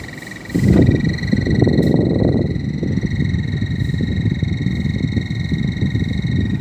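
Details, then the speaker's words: Split AC indoor unit, motor on one side and blower assembly on the other: steady fan hum with a fast croaking rattle from the blower side, a loose, worn blower assembly that needs replacing. "इस side में motor लगा हुआ है और इस side में उसे assembly लगा हुआ है तो यह कुछ असेंबली क्या है ढीला हो गया खराब हो गया है"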